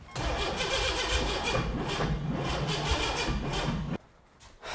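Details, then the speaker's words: Rebuilt junkyard turbo 4.3 V6 in an AWD S10: steady cranking about four turns a second for four seconds without catching; ignition timing was off, later fixed and set to 10°. Cranking, no start. "we fixed up a couple of timing issues here that we noticed let's try firing it up"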